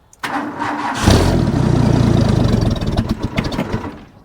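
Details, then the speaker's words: Ford bullnose truck 300 inline six with new two-barrel carb, cold start after three throttle pumps: cranks about a second, catches, slightly lumpy idle; choke needs adjustment, runs smoother than with the one-barrel. "Oh, definitely got to work on that choke a little bit."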